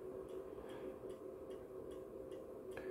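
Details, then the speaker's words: MW POWER MW-SC6B charger set to 24V recondition mode on a 12V battery, read on a 0–600 mA milliammeter; faint even ticking about three times a second over quiet room hum, pulsed rather than steady charging, questioned as unhealthy. "to jest zdrowe ładowanie akumulatora w takiej konfiguracji od tej ładowarki"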